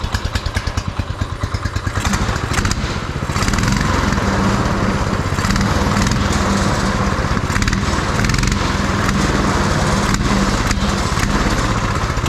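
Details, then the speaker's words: Beater go-kart's small single-cylinder engine on a swapped carburetor, first run with fuel tank not yet bolted in: deep thump at a slow, slightly uneven beat; runs fine and sounds all right, but idle is set a little low. "Well, she runs. Idle's a little low. Does it stop easy? Sounds all right."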